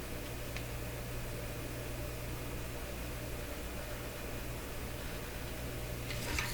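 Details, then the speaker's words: Breadner Bradna JBL-37 tube radio after cleaning the tube pins: constant low mains hum with faint hiss that never changes; the hum is newly noticed, and a poor tube contact is later found behind an intermittent fault. "What a hum came out of there. There's a heck of a hum. I never noticed the hum before."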